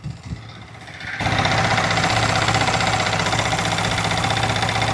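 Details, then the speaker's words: Yamaha R15M single-cylinder engine idling after the timing chain tensioner was repaired: steady, even firing beat; the earlier "kat kat" chain rattle is completely gone. "जो engine के अंदर सारा था जजर का sound को बिल्कुल remove हो गया।"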